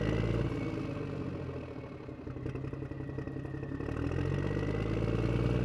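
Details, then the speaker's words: Acura MDX/Honda Pilot 3.5L V6 running after a rebuild with new piston rings: even, steady idle with a faint light valve tick (valves still need readjusting), no misses, no check engine light. Runs well. "got a little bit of valve ticking but we need to just readjust those anyways like I said in the previous part so hey but it starts no check engine light"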